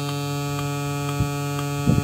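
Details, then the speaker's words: MP3 Bluetooth module newly fitted to an old compo tape deck on a 7 V input, one speaker connected: loud steady low hum with buzzy overtones and faint ticks; power supply noise, to be filtered with an electrolytic capacitor. "Tapi ada kendala ya teman-teman ini kayaknya noise-nya itu sangat besar sekali ya"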